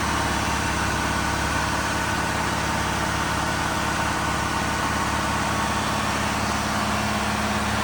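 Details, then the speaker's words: Diesel fire pump engine on weekly half-hour test with isolation valve closed, giving a steady, even drone and smooth low rumble with no knocks or misses; running normally. "This pump gets ran every month for 10 minutes just to test it, make sure it works right and it comes on in case there's a fire."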